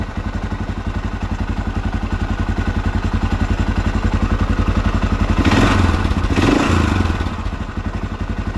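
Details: 1979 Honda XR500 single, freshly fully rebuilt, on a desert shakedown: even idle thump about 220 beats a minute with a brief blip, valve tick gone after top-end work, still not the quietest engine; normal idle.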